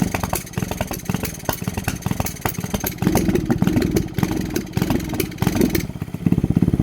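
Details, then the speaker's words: Grom-clone 125cc mini motorcycle on 94-octane fuel, idling; small coughs and stumbles, ragged uneven firing surging and dropping, started only after fitting a knockoff ignition coil, which owner suspects; not confirmed. "Once again, it only started running like this once I changed to the knockoff goddamn Nibby ignition coil."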